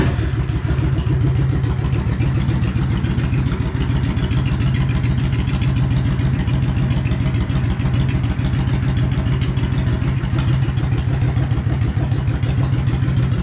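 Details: 2013 Yamaha XVS650 Custom V-twin started right after an oil change, no leaks: steady, even idle with a consistent lumpy beat and no knocking or ticking; sounds healthy.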